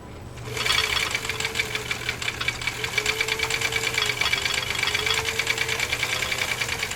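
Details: Husqvarna Viking Type 21 sewing machine, straight stitch, stitch length 4, width 0, at speed: fast, even needle ticking with a light motor hum, no thumps or binding; running normally.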